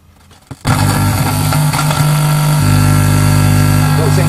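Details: Sinclair Z50 vintage DIY amplifier module on a bench supply set to 10 volts, fed from a laptop with a poor connection: sudden loud, steady buzzing drone; cause not confirmed.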